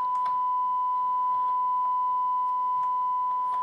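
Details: Rotel RA-985BX integrated stereo amplifier: steady mid-pitched test tone clean and even, no crackle or dropout, while checking the tone controls, which work fine.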